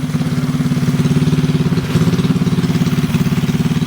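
Steady, even low pulsing at about three and a half beats a second, with no knocks or rattles standing out; engine idles smoothly.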